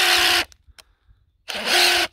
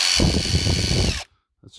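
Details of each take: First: Hilti SID 4-A22 impact driver losing power: two short rough rasping runs with strained buzz, no crisp hammering; drywall dust fouling switch and motor, to be fixed by cleaning with contact cleaner and washing the casing. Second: Hilti SID 4-A22 impact driver, previously losing power and noisy, after teardown and motor cleaning with contact cleaner: even clean whine and steady hammer rattle, no grinding, sounds much smoother; normal running.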